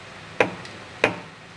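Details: Fiat Uno, under the car at the steering rack: three sharp metallic clunks about two-thirds of a second apart as the axial tie rod joint is rocked by hand; worn steering rack with inner tie rod play, whole rack to be replaced.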